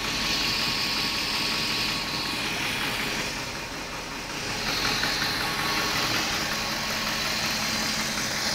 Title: BMW E38 740i , M60B40 strange knocking noise, ticking noise